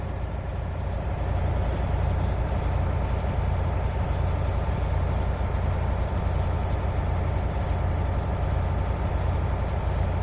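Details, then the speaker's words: Air brake inspection on a diesel truck idling as air pressure builds from 50 to 90 psi (low-pressure warning off at 60 psi); should take under 3 minutes, took 1 minute. Even, deep diesel idle rumble; normal air pressure build-up. "So once they reach at 90, we will calculate how much time it took to go to 50 to 90. So it should be under 3 minutes."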